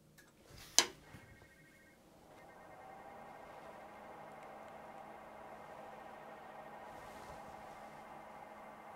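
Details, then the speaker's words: Cheap 360 AIO CPU liquid cooler, first power-up: after a clunk, thin steady high-pitched whine around 1.5–2 kHz from the fans, no fan signal detected; whine attributed to PWM control, pump or fans uncertain. "uh I'm not sure if you can hear it but something is making extremely weird noises I'm not sure if it's the pump or a fence something is wrong with those fans they're making extremely weird noises"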